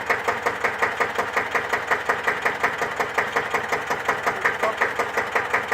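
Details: 1954 Deutz F1L612 air-cooled single-cylinder diesel tractor, 11 PS, cold start after overhaul for TÜV inspection: even steady chuffing about three firings a second, no knocks or misses; healthy idle.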